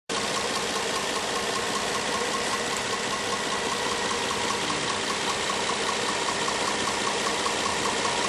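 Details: 2010 Nissan Maxima with 1,400 miles on the odometer, at idle: steady idle with a light, fairly regular tick-knock under a hiss, under two a second; cause unconfirmed.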